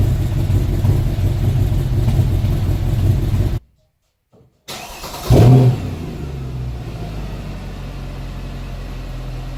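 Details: 2012 Mercedes E63 M156 naturally aspirated V8, 30,000 km, sudden noisy engine and very bad idle near stalling: cuts out, restarts with loud catch, lumpy noisy idle; mechanic found a faulty exhaust cam lifter, replacing it fixed it.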